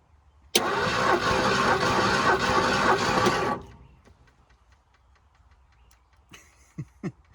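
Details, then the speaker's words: Bullnose Ford F-150 flooded in 2010, with water in the engine for 14 years: compression test while cranking about four beats a second for three seconds with no catch. This cylinder reads zero compression, while another reads almost 120. "let's try that again okay that's not good no compression whatsoever"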